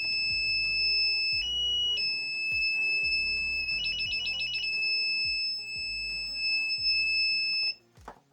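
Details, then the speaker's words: Rinrei DVB-T2 set-top box, dead, EWS buzzer sounding after two swollen capacitors were replaced: loud, unbroken shrill buzzer tone with music underneath as it powers up; still not working, continuous buzzer alarm. "Buzzer masih bunyi kenceng"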